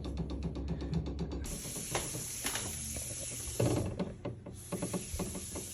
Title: rattling sound plumbing water hammering issue shower valve #shorts